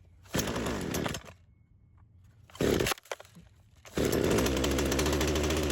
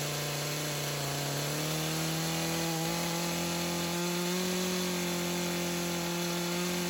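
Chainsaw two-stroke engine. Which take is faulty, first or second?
first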